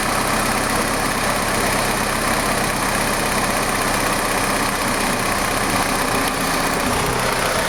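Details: Ford Sierra 2.0 DOHC petrol engine idling steadily with a dense, rough, rattly strange noise over the running sound.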